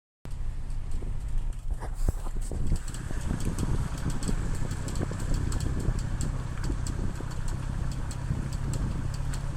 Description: Developed a strange ticking noise from the drivers side which stops for a second after going over a speed bump. It sounds like a card flicking bicycle spokes.